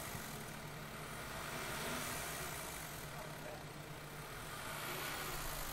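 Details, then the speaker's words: Engine misfires at idle, possibly old-style chain tensioner (2012–2014 update) with rattling suspected chain slap; held around 2,000 rpm off idle it runs steady and even with no stumbles, misfire only at idle. "oh it's definitely misfires if you rev it up does it slow just smooth out don't go crazy but bring up like two grand yeah it stops the misfires"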